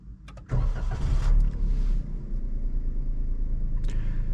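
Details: 2021 Suzuki Alto VXR/VXL 660cc engine start: brief crank, then a quick catch into a smooth, even low hum holding steady with no knocks; normal, healthy start.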